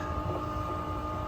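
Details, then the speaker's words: New Bosch IDS 2.0 central AC condensate pump, plugged back in after its drain line was blown out to clear a kink and a copper piece: steady low electric hum with a faint fixed tone, no rattle or gurgling, pumping water outside normally. "so it pumps away the water right so it's pumping the water outside through that hose right there and see it kicked up again"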